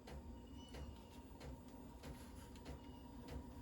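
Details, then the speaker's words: VEVOR 5 kW 12V diesel heater restarted and set to 35°C, in warm-up mode with the fan running. After a moment, faint, soft, even ticks about every two-thirds of a second over the fan hum as the fuel pump comes back on normally. "all right so see after you start it up it takes us a moment now you hear the fuel pump coming back on"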